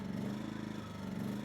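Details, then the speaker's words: Yamaha EF2000iS inverter generator surging at idle in power save mode, speed sagging and rising instead of settling; likely a clogged pilot jet. About three-quarter choke helps but doesn't fully steady it. "normally that would be able to hold an idle in power same mode but right now it can't and so I can compensate for it by pulling out the choke a little bit"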